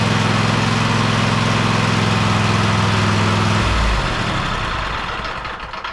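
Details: Husqvarna YTH24K54 riding mower after service (new oil, oil filter, spark plugs, fuel filter, air filter): even putter at idle for about four seconds, then winds down smoothly and shuts off. Normal idle.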